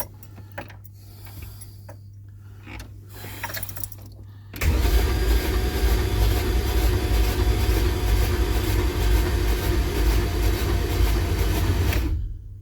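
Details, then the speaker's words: 1965 Pontiac Parisienne with freshly built 283 Chev, Turbo 350 and Holley Sniper: starter cranks steadily about three and a half turns a second for seven seconds, never fires; deliberate cranking to prime oil. "let's crank this and see if we can get any movement on our oil gauge at all"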